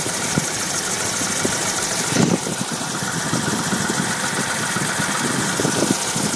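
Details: BMW E30 325i petrol six idling with blown head gasket: rough idle, uneven low puffs and knocks over hissy engine note; compression test showed all six cylinders losing pressure.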